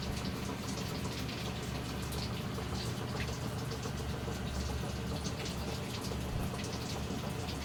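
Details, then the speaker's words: Samsung top-load automatic washer that had no water input, after replacing the faulty inlet solenoid valve: steady rushing hiss of water filling the tub, no buzz or chatter; filling normally, should stop at level one. "dapat pag na-reach niya yung one na level automatically hinto yung pasok ng tubig kasi pag hindi Huminto ang problema yun"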